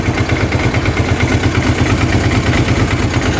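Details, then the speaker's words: 2005 Kawasaki Prairie 700 twin ATV, airbox off: steady, even low thumping at about three beats a second with no misses or clatter. Normal clean idle; the breather blows air, no oil. "Well, she fired right up. Sounds pretty good. Burning off some old oil on the pipe, it looks like."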